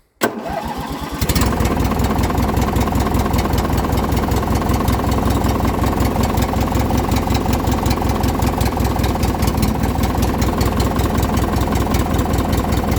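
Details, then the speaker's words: Poulan Pro with Craftsman-branded Briggs & Stratton opposed twin, cold start on choke; catches after a second of cranking into a steady, even twin idle, no misses; cold-blooded, carburetor needs cleaning; normal cold start. "it's a little bit cold-blooded but once it warms up it actually runs pretty good"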